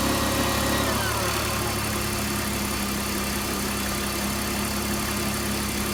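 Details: 2001 BMW 325ci petrol engine idling after a cold start with a steady metallic buzz over the engine note; the buzz usually happens on cold start.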